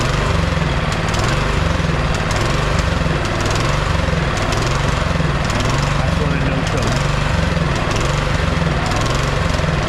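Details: Neglected MTD Yard Machine 22-inch snowblower with 179 cc (about 5 hp) electric-start engine surges up and down about once a second on choke, never settling. It dies with choke off; carb and gas can cleaning planned, lean fuel delivery suspected.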